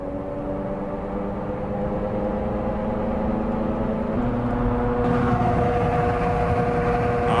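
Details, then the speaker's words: Car on the road: steady droning hum with a few even tones that thickens as speed rises, identified as tire noise. "that's a tire noise and boy I don't want to know how much money is spent across this country with people trying to figure out tire noises would you"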